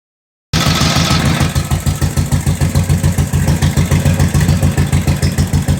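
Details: 1945 Indian Chief V-twin first fired up after second rebuild (new rings, honed cylinders, lapped valves, new head bolt washers and intake manifold/seals): even loping beat about three pulses a second; normal idle.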